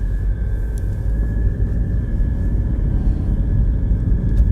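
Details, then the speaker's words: 2016 BMW 320d diesel after repair, accelerating: low steady rumble with no buzzing or rattle. The former rattle came from a broken handbrake cable bracket letting the cable contact the propeller shaft. "But वो आवाज़ जो है वो चली गई है अभी भी गाड़ी को एक्सीलरेट कर रहे हैं कुछ भी कर रहे तो वो आवाज़ जो थी वो चली गई है अभी ए नहीं रही है बिल्कुल भी"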